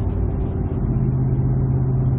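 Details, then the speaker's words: 2007 Ford F-150 5.4L 3-valve V8 on a road test at about 45 mph, torque converter locked in fourth gear, slowly accelerating after the loose cylinder 2 plug (P0302) was fixed: a deep, even hum with no stumble, firing cleanly. "trying to slowly accelerate with the torque converter on fourth gear that really stresses out the secondary ignition and everything looks good to go especially number two which we just fixed"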